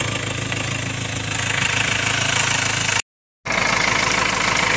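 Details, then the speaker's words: 2.2 L Ford Transit common-rail diesel, next day after replacing the high-pressure pump's fuel metering valve (not yet coded): steady idle beat with normal clatter, no surging or hunting. "i'm gonna recheck it but already it sounds much better i haven't coated it to the car just yet that does make a difference though so i need to do that still but it's not surging it's not going up and down in the revs"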